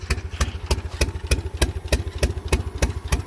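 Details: Lumpy idle with a heavy knock about three times a second, a hit-and-miss drumbeat like only one cylinder firing; misfire. Tapping the injector bodies with a hammer and chisel changed nothing, and the cause is unconfirmed.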